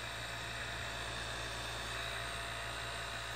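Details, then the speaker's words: DIY silent air compressor built from a repurposed refrigerator compressor with a modified check valve, just switched on. Very quiet, steady low buzz and even hum with no knocking; the slight buzz comes from the check valve, and running is normal. "that's what it sounds like virtually silent you still hear maybe a slight little buzz again it's still that check valve there's no way around that"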